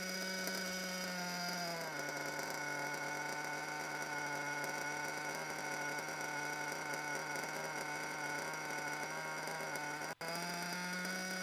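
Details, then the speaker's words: Unstable idle on a small nitro RC engine, nearly brand new, just after break-in. The high buzz keeps drifting up and down instead of holding steady during tuning. A worn front bearing is causing the wandering idle. "so yeah so an idol that just keeps wandering for no apparent reason"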